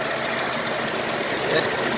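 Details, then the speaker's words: 2000 Nissan Xterra after replacing the No. 5 fuel injector and the plenum gasket, heard from outside at about 850–875 rpm idle. It is an even, steady, smooth hum with no stumble or shake, where before it stumbled and shook; it now idles normally. "because before when she stumbled this whole topic you know would be shaking like you know trying to keep up so far it's running smooth"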